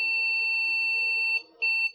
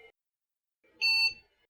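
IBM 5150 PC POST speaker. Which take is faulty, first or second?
second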